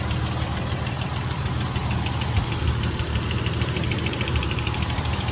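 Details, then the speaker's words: Nissan 300ZX Z31 engine idling with engine-bay view after a tune-up and oil change: even, steady low rumble with no misses, ticks or knocks; healthy idle. "Yep, everything sounds pretty healthy."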